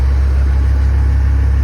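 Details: 6.8 L V10 idling after repair of several broken exhaust studs, one crooked oversized hole into a water jacket fixed with threaded rod, possibly 3/8; about 300 miles since repair. Deep, smooth, steady idle, no ticks or exhaust puffing: normal idle.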